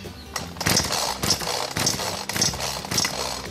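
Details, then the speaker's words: BERALA BL-29X two-stroke chainsaw with fuel primed, choke pulled and switch on, still won't start before the fuel is drained; repeated rattling cord pulls about every half second with no firing. No start, blamed on stale fuel in the carburetor. "เปิดสวิตช์เรียบร้อยนะครับก็จะเห็นว่าสตาร์ทยังไงก็ไม่ติดนะครับ"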